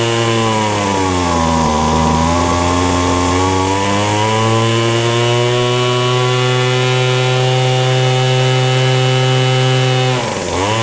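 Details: Weed Eater FeatherLite Plus FL26 trimmer after new carburetor, fuel lines, fuel filter and air filter, fresh 40:1 mix; previously ran only on half choke. Clean steady high buzz dips and recovers smoothly with throttle. Normal running.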